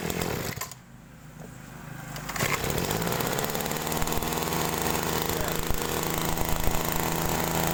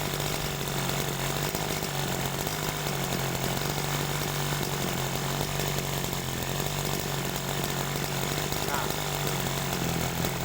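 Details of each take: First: Small two-stroke sprayer engine during carburetor adjustment, high-speed mixture screw just set; brief dip then steady full high-speed buzz without screaming; top end correctly tuned, not too lean to avoid overheating while spraying. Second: Sprayer engine with a carburetor set too lean: a thin, dry-sounding buzz that slowly sags in speed as if about to die.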